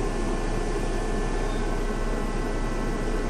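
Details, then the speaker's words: 2005 Dodge Neon: even, steady low-rumble idle with no stumbles; no misfire and no flashing lights now, though two cylinders hold a lot of gas and oil being burned off; brakes hiss air when pressed. "But I say she's not misfiring. That I can tell. It does have a lot of gas, a lot of oil in these two cylinders."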